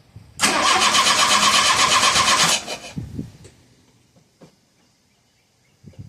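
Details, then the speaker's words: 1985 Shelby Charger with a new fuel pump: the starter cranks steadily at nearly three turns a second for about two seconds with no firing. It cranks but won't start; the owner suspects the fuel pump wasn't priming. "All right. Might have figured it out. Might not have. Let's see. Nope. Son of a gun."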